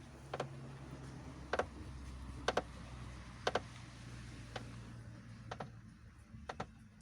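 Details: Lada Priora, right front strut top, after hitting a rut: working the wheel at standstill gives sharp irregular paired clicks about once a second; strut and bearing checked, owner suspects body/strut tower movement, unconfirmed.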